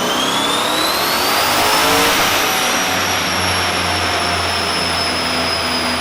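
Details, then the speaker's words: Corvette strapped on the dyno after Holley EFI manifold repairs: engine pulls hard under load, pitch climbing smoothly then holding steady, no misses or knocks; healthy. "So got it strapped down. Let's make some pulls, see what kind of power it makes."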